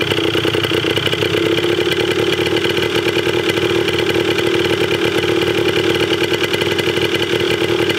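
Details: 1980 Yamaha DT/GT 125 Enduro two-stroke warming up after its first start with an uncharged battery. A crisp, rapid ring-ding popping with a bright rasp holds a steady fast idle. It runs evenly; the carb probably still needs cleaning.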